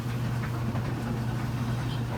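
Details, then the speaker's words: Matching 70 Series dryer, lint screen cleaned, timer start; brief swishing heard from tensioner pulley at start: then low steady hum and soft even rumble, no squeal or thumping; tumbling normally. "I always love that sound these make - it is clean now I turn the timer the Astra hear that little bit of swill and sorry that's the tensioner pulley"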